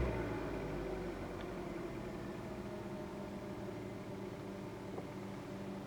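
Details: New Kia Rio, 1.6 Gamma petrol engine, 6,400 km, not warmed up, heard inside the cabin at 1500–2000 rpm: a steady engine hum with a faint, uneven diesel-like clatter over it; cause unclear.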